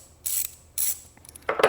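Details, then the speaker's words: Small socket ratchet wrench giving sharp, bright clicks in separate bursts, pretty loud, during a project of disassembling, cleaning and greasing ratchets to quiet them. "so say we're going to check this one out for a little guy it's pretty loud"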